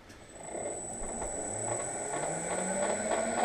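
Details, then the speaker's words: Harrison M300 lathe gearbox after oil refill, running in high gear then neutral at speed 370; steady high whine over rising lower drone, noise persists even in neutral, source not yet found. "um and um unfortunately still noisy um well that's H gear but uh"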